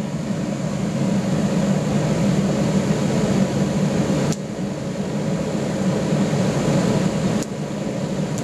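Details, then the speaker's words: Gravity-fed waste-oil burner with small blower in a pot belly stove conversion, just lit and warming up: steady low blower roar with a couple of sharp pops seconds apart as moisture dries out of burner and heater; normal warm-up. "you might hear a bit of popping as the moisture starts drying out of the burner and maybe even the um the fireplace as well the heater"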